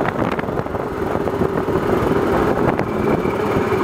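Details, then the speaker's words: Suzuki Burgman scooter riding: faint thin belt squeal over the riding noise, rising sharply at the end while decelerating at about 2500 rpm; CVT belt squeal. "you can hear a little bit of the belt squealing right there"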